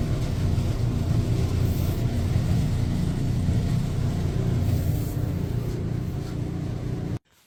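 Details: Running Electrolux dryer gives a heavy, uneven low rumble; the blower was suspected. The blower wheel was found with lint buildup and cleaned.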